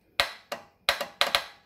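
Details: Husqvarna MZ6128 mower with an intermittent no-start and no click; after a new starter solenoid was fitted, with its starter-side lead left off, several crisp, clean clicks with no chatter show the solenoid engaging properly.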